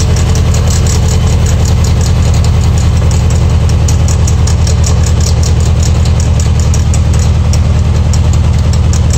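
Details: Air-cooled VW Beetle (Type 1) engine idling: strong rhythmic beat about three per second with fast metallic chatter from near the alternator pulley; owner suspects an eccentric alternator pulley, cause not confirmed.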